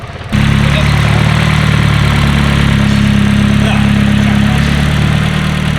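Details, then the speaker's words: Cold start of a freshly built Nissan SR engine on break-in oil. Loud, steady low drone with an even idle and no stumbles; louder than the JZ coupe. Normal cold start idle. "[Laughter] sounds sick it's going to be loud a lot louder than the JZ coup but jz's are just quieter"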